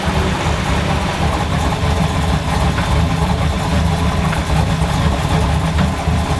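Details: K20 truck's initial start-up after a fan assembly and wiring install, not yet warmed up: a steady, low, even rumble with no knocks or ticks as it settles into a smooth warm-up idle. Normal idle.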